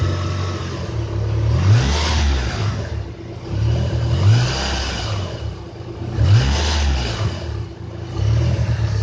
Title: 4g63 turbo misfire